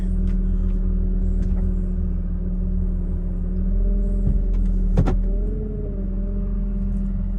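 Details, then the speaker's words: 2006 Mercedes-Benz SL500 V8 with ABC suspension, awaiting coilover conversion: steady high-pitched whine over an even idle, tone changing with steering input; the pump is suspected. "Sounds like that's the pump. A lot of whining and high-pitched noise. Real high-pitched."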